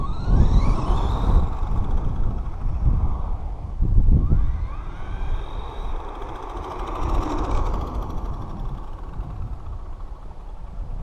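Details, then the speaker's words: Traxxas Stampede RC truck after gear mesh adjustment, MIP CVDs fitted, motor running hot: electric motor whines with throttle, irregular drivetrain clicks getting louder each run, cause unknown. "Making like a clicking noise, and it seems like every time I run this truck it gets louder and louder."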